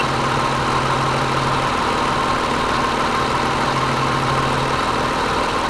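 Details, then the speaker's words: Car started during a battery tester's cold cranking test, crank reported normal and start good: smooth, even idle with a steady hum and no ticks, knocks or stumbles; engine healthy. "We'll start her up. Okay, the crank is normal. Start is good."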